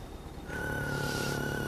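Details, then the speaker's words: Car audio: a thin, steady whistle over a low hum in the rear speakers only, not the fronts, even at zero volume. Its tone changes with each press of the accelerator, and moving the wires near the head unit makes noise. The cause is alternator interference from a failed ground on the head unit's line outputs; the fix is replacing the head unit's resistors. "появляется при нажатии педальки газа тональность меняется в такт нажатию педали"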